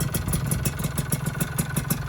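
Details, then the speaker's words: Rebuilt two-stroke engine first run after assembly: quick idle with a light regular tick on each firing pulse; piston slap from slightly undersized piston and deliberately loose clearance, expected to ease as it breaks in. "seperti yang saya bilang di video di awal teman-teman, piston PIM itu sedikit kurang ya. Nah jadi ini agak sedikit ngelitik ya, depannya agak sedikit ngelitik teman-teman."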